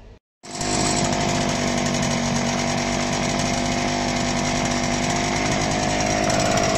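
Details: Home-machined Zundapp 5-speed engine, first start after fitting the new clutch and ignition cover: after a short pause it catches and holds a steady, high buzzing run with an even beat, no knocks or misses; running normally.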